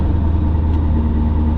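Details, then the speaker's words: 2002 Chevrolet Corvette C5 Z06, LS6 V8, about 65k miles (unsure), warming up after start: deep even V8 idle with a steady low rumble, no knocks or misses; healthy normal idle. "I'm gonna go ahead and fire it up here because she does sound quite healthy."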